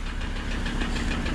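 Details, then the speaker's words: Auction vehicle with six-speed automatic, clean oil and full coolant (oil slightly low), just started: idling engine with a deep regular knock about six or seven times a second, judged a rod knock. "she's a rod knocker she's a bit Taffy"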